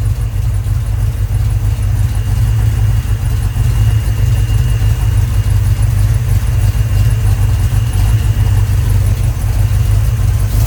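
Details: Rebuilt 1990 Mopar 318 small-block V8 from a D150 truck (Comp special-grind cam, Air Gap Magnum intake, new Rock Auto parts), first run, up to temp around 175°F, 15° initial and 33° total timing; smooth, even idle rumble, no misses, knocks or ticks, healthy.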